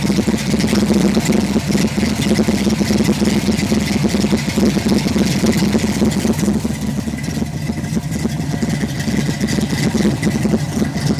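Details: 1991 Ford Mustang at idle and revs; irregular stumble in the exhaust beat instead of a steady rhythm, engine misfiring.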